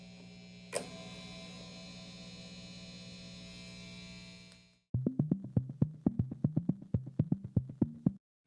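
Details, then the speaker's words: Vintage V6 Strat-style guitar with stock Wilkinson WVS Alnico V single-coil pickups, amp up to 10 with tube screamer distortion; steady low 60-cycle hum with bright buzz on top, pickup noise, later fixed by a tech. "So there's a buzz going on. My question to you all is, when I change these pickups to custom Fat 60s, will I expect the buzz to go away? Listen to this buzz."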